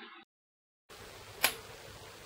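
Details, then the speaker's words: Bosch VP30 injection pump from a Rover, fuel quantity solenoid bench-tested directly on a 12 V battery without load; two sharp, crisp clicks about a second apart, solenoid responding much faster than with bulb load; normal solenoid operation. "but without load we hear that the solenoid responds is much faster and the same taste on the other solenoid and again the wire is getting H"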